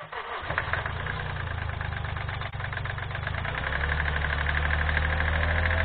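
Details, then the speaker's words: 2012 Kia Rio 1.1 CRDI 75 hp diesel with a DPF, on its first start after sitting abandoned about 8 months. It starts rough and settles into idle with a hard, regular knock near four per second that grows with revs. Suspected piston slap. "din păcate Rezultatul este un om foarte prost motorul are o butoaie puternică care se accentuează odată cu accelerarea lui presupun că este o bătaie de piston fenomenul numit piston slab"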